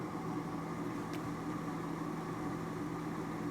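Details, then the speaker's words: Furnace inducer motor running on a call for heat while an intermittent pressure switch problem is traced: a quiet, steady hum of the small blower motor with no rattle or scraping; normal running. "I'm just going to let it run here just to make sure it fires."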